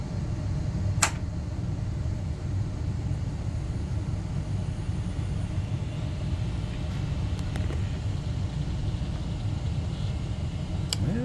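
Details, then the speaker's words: Rescued 486 tower with Intel i486 DX2, previously giving AMI 3- and 8-beep codes, turbo off: steady low fan hum, a couple of faint clicks, no beeps, display signal and cursor appear. Normal POST, no beep codes. "we've got display signal so far no beat codes display signal is a little wonky but we've got a cursor no beeps"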